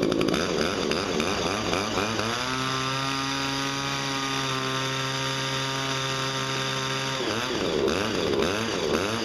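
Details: Two-stroke hedge trimmer, just after blade sharpening and gearbox regreasing: buzzy revs up, holds a clean steady high pitch, then drops back; runs strong and even, healthy.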